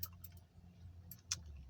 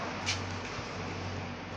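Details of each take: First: 2008 Honda CR-V, 163,000 km, in neutral: a few sharp light clicks over a low hum with no cranking; starter motor just clicks, failed starter suspected while alternator charges fine. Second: 2008 Honda CR-V at 163,000 km, after a new starter motor replaced the old one that would not crank: quick, even cranking whirr, then the engine catches and settles into a steady run; starts normally.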